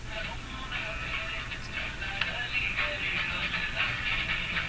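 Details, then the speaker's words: Rogers Majestic 9R512 tube radio, during bias battery work: music received clearly from distant Hamilton station over light hiss, no hum, crackle or fading; normal radio reception. "sorry to make you listen to that but wow this R is working really well that's beautiful this is Hamilton it's quite a ways"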